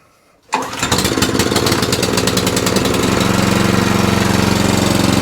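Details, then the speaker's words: Qualcast 14sk Suffolk Punch cylinder mower running on the bench with a bit of choke and revs. The small single-cylinder engine settles to an even, fairly fast patter, but the output shaft does not spin; the belts are fine, so the fault is between the engine and the output shaft. "so as you can see the output shaft is not spinning at all so there's a problem between the engine and here that's where the problem is"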